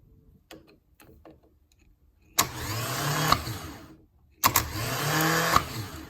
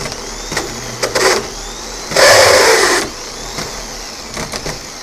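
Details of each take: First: Rebuilt starter motor from a 1990 Jaguar XJS V12 convertible, bench test after refurbishment: three clean bursts of even whine, each spinning up smoothly before cutting off; normal, healthy starter run. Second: Gear-reduction parts starter for a 1990 Jaguar XJS V12, bench-tested with clamps: a brief, harsh, high whir that never builds speed. The drive kicks out but develops no RPM; the starter is thought to be junk.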